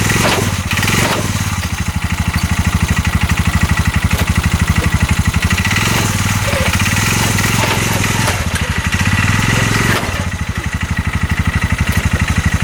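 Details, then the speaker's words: 2022 Massimo T-Boss 750 EFI UTV, abandoned by a dealership, driven forward: heavy, rough thumping about three times a second under load, the whole engine shaking and knocking, while the CV axles and U-joint are tight; cause not yet clear. "that sounds absolutely awful I don't want to ride it too much like that it's just shaking the whole engine when I do it I can hear it just knock and knock"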